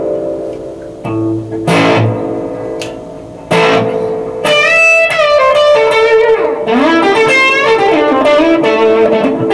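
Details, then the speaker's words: Early-1970s Acoustic 470 guitar amp after reverb drive circuit repair (transistors replaced with KSC1846 NPN and KSA992 PNP): plucked guitar notes ring out with a clear, lingering spring-reverb wash behind each phrase; reverb working properly. "[Applause] that's reverb yeah that sounds pretty good hiding it's a little bit too musical"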